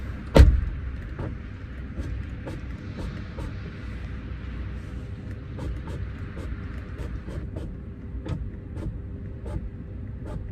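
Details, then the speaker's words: BMW F30 with REM rear electronics module issue: low hum with slow, uneven creaks and ticks as the rear door window motor strains; window seized and barely moving. "Can you hear that there? It's just seized."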